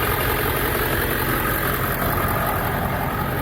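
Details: Ford 7.3L Power Stroke diesel ambulance, first start after replacing low-pressure oil pump, water pump, pulleys and belts; oil light went off quickly: busy, slightly rough clatter but no rising knock or dropouts; normal idle.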